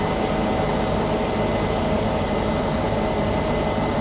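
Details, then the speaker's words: Case IH 9120 combine harvesting on steep Palouse hills, separator running and header engaged while cutting: loud, even roar with a steady whine, no banging or clanging; sounds fine, normal harvesting operation. "up actually sounds fine for now and here goes the header so the Reel isn't on there we go now we're cutting sounds fine"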